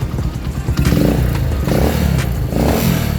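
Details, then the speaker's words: 2010 Honda Mega Pro Primus after repairing repeated bent valves, blamed on a worn cam chain, tensioner, tensioner rubber and lower sprocket: crisp throttle blips rise and fall cleanly with no clatter; engine smooth, normal revving. "mesinnya udah oke, mesinnya udah oke, dan mesinnya sudah untuk bisa buat riding lagi"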